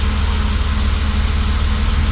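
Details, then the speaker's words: BMW E36 M3 S52 inline-six, first start after sitting 10+ years, codes just cleared: steady idle with a faint constant whine over the low exhaust pulse from the secondary air pump; secondary air and cat codes expected to return. "I'm sure of course the cat codes in the secondary air pump you can hear it whining so that will probably come"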